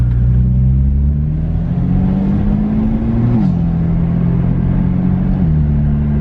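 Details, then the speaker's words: BMW F80 M3 with new Active Autowerke resonated equal-length mid pipe and ARM downpipes, one valve permanently open, warmed up, first drive: deep exhaust drone climbs smoothly through gears, no rasp or drone at 2k. "oh yeah it's gone you can hear it like very very faintly it's gone dude it's actually gone"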